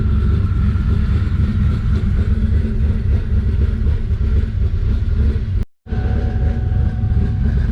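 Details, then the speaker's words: Twin-turbo Mustang Cobra: deep heavy idle pulsing unevenly, idling well after a rev then degrading; owner sees the IAC valve open, mixture go lean and vacuum drop, cause unconfirmed. "you notice how after a rabbit it'll idle like really good and then watch it eventually goes back to i don't know like crap just watch see now the iso iac valve opens up and it goes lean and it loses almost all the vacuum"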